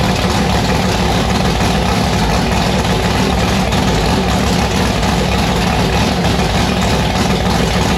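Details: Annabelle's V8 on E85, first run on a newly installed 1150cfm Pro Systems carburettor: loud, heavy, uneven idle with a choppy loping burble, rough and aggressive, sounding violent; rough lumpy idle pending carb tuning.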